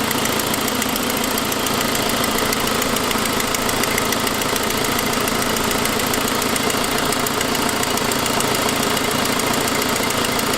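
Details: 2006 Saab 9-5 at idle: fast, even ticking about three or four a second over the running engine; a possible lifter tick that turned out to be an exhaust leak from a broken forwardmost exhaust stud, after earlier louder turbo noise.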